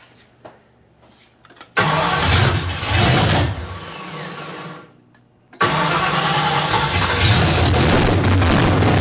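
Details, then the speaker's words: 1972 Ford Maverick with a freshly rebuilt 317 V8, no coolant, carburetor untuned. It catches, sags, then restarts into a loud rumble that wavers and bounces around. Erratic idle; owner says the carburetor floats are too low, air leak still possible. "yeah it just seems like it's bouncing around a little bit it's not real consistent so floats got to come up too they're too low"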